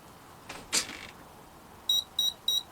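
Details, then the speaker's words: Turnigy Plush 32 series ESC connected to its programming card: after brief handling clatter, three short high-pitched beeps about a third of a second apart. Meaning unknown; the owner could find no manual explaining it. "yeah great and this just beat three times I'm not sure why doesn't do that"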